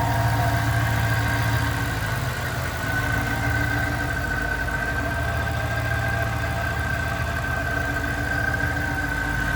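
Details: 2007 Ford Mustang Saleen S281 Supercharged coupe, 4.6 L supercharged V8 with Ford Racing throttle body and catch can, 13,641 miles, idling with hood open: steady, even low rumble and faint constant supercharger whine; healthy normal idle.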